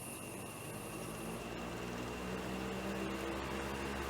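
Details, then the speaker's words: Electric fan after rebalancing its blades to cure heavy vibration and noise: smooth, even hum with steady airy rush and no wobble or beat; normal running after repair. "ya no vibra el sonido que ahora emite es el sonido normal de funcionamiento de un ventilador"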